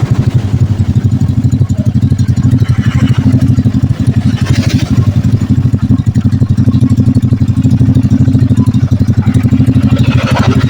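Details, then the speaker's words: Carbureted Honda Blade single-cylinder, rebuilt after oil starvation seized the piston, first run after assembly: steady, even low idle pulse with no knocking or rattling; normal, healthy idle. "Oke, suaranya halus ya. Ya, saya juga halus. Jadi tidak berantakan."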